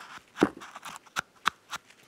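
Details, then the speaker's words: 34-year-old original rear sway bar link on a Mercedes-Benz W126 S-Class, worked by hand: short gritty crunches, boots long gone and joint packed with sand grinding inside, though it wasn't clicking on the car; replaced. "the boots have been gone probably for a long time and it's just packed with sand you can actually hear it grinding in there"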